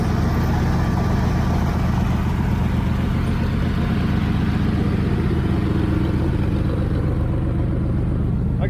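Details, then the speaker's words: 1980 Chevrolet Camaro Z28 V8 just after installing a new knock-off Holley 4-barrel carburetor, first start: steady rumble held at fast constant idle that won't settle; idle set too high. "let me let it run for a minute and uh see if I get that idle down a little bit lower cuz I I can have it putting it in gear and having it move real Fast."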